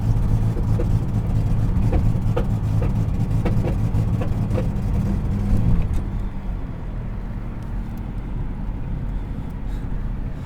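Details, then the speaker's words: 1997 Dodge Avenger 2.5L V6, 160,000 miles, new plugs, wires, cap, rotor, fuel filter: under hard throttle engine drones, bogs down at upshift and shudders; misfire mystery, idle speed code, cause unknown. "it only seems to happen when you really hit the throttle hard and then even when you shift the vehicle it'll still it'll still bog down when the vehicle shifts it'll bog right back down to 200 pm and it'll it'll shutter like that"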